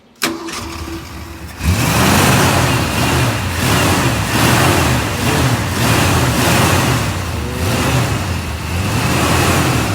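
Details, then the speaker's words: Fox-body Mustang 5.0 just after a clutch and pilot bearing replacement: it cranks and fires quickly, then idles lumpy with a slight misfire; the owner suspects very old fuel and possibly spark plugs. "Fires right up. It's starting to get a little bit of a misfire, so we're gonna work on that. I'm honestly thinking it is the fuel."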